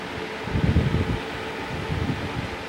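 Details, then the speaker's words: 1960s Bersted 10-inch electric fan, as-found condition: steady whir with uneven low thumps as the oscillating head swings back, hanging up and juddering instead of moving smoothly; cause unknown. "although it kind of it's hanging up this fan is not running right i'm just running okay but it's just not i don't know it it doesn't seem right see how it's kind of juddering when it comes back it's kind of hanging outside"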